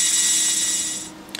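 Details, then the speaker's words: HP MAP3367NC 36.4GB SCSI hard drive: shrill, steady high whine fading as the platters spin down; owner suspects a defective controller board and worn spindle motor bearings. "So, what I'm going to do is I'm just going to plug this in. As you can hear, it's incredibly noisy."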